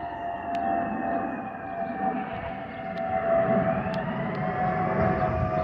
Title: Delta Airlines Airbus A320-212 N345NW DL1657 BOS-DTW (FOPP whistling sound)